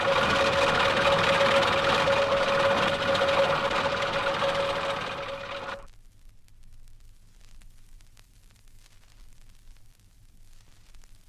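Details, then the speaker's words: 1964 diagnostic recording of a four-cylinder engine: fast even light rattle about 3.5 per second from a worn timing chain. "Band three, a worn timing chain on a four-cylinder engine. The slack on most timing chains can be adjusted, but sooner or later adjustment is impossible."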